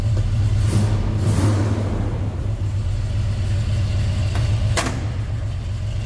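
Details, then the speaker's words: 1966 Chevrolet C10 Custom Cab Fleetside idling after a cold start: deep, steady low V8 rumble with an even beat, no knocks or ticks; a good-sounding, healthy truck. "Door closes nicely, and take a listen. It's a good sounding truck."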